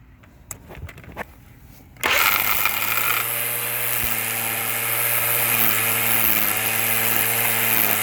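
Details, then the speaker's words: Black & Decker 20V cordless trimmer after refitting the missing spool spring: brief rattle as leftover excess line is trimmed off, then a smooth steady hum, normal running. "but uh once that first bit was trimmed off the rest of it ran smoothly"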